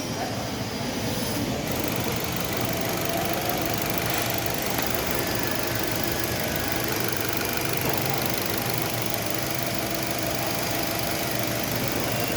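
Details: 2024 Nissan Livina, just over 5,000 on the odometer, would not start until cut wiring at the fuel lines was repaired: steady, even idle with no knocks or misses, a smooth hum with outdoor background; normal idle.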